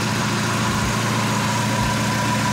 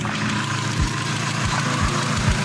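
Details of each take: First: Mazda MX-5 NA after first oil change, one to two minutes running: steady even idle, smooth low rumble, no hydraulic lifter ticking from top end anymore; normal idle, engine sounds better than before. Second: Mazda MX-5 NA petrol engine idling with engine flush added before an oil change: light, uneven tick a few times a second over the idle; owner thinks a sticking hydraulic lifter, unconfirmed.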